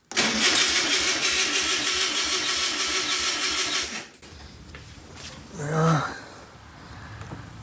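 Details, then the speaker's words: 1964 VW Beetle engine sitting over 25 years, first start attempt: about four seconds of steady cranking, never catches; seized fuel pump gives no pump action and no fuel. "Got no pump action. All right, we might need to spray some WD-40 in here to loosen this thing up. Yeah. No fuel."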